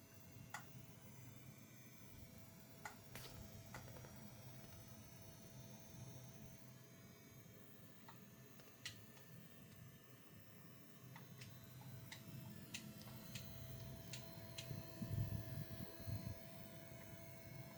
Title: MSI Vanguard 5090 coil whine problem 2